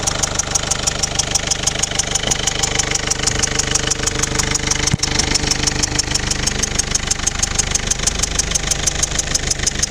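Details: Mercedes OM 611 CDI diesel at idle: sharp, regular crisp metallic tick about three per second over the idle, heard more at the rear right; abnormal engine noise, cause unknown.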